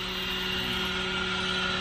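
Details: Car AC running with a steady mechanical hum and whining tones near 200 Hz, 380 Hz and 3 kHz, plus a bad smell; abnormal noise, cause not determined.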